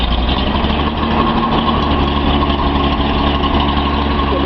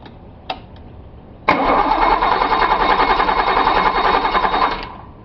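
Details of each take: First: Nissan 280Z L28 six just after a cold start, after swapping a bad fuel injector to cure a misfire: steady, even, smooth idle. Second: Datsun 280Z L28 engine, cold early morning, after swapping in a different injector to cure a misfire: steady chug cranking about three seconds without catching; hard cold start, runs much smoother once started.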